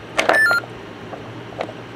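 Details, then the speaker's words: ThinkPad laptop on battery backup during a power outage: quick pair of chirps then a short steady high beep under half a second, its usual warning when AC power is lost. "when it lost power it uh made the usual when you unplug a think pad it makes a noise sort of like this"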